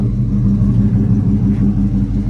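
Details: Ram Daytona V8 after misfire fix (EGR valve also replaced): steady, even low rumble with no skips or stumbles, running cleanly on all cylinders; normal running.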